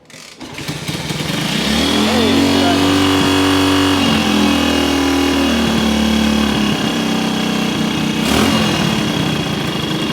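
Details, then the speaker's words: 1974 Kawasaki KS125 after decades sitting, partly clogged pilot jet suspected: idle screw turned way up, engine holds a steady screaming high speed with no drop to a slow tick; idle set far too high. "I just not had the the idle yet screaming all the way. I mean the idle needle."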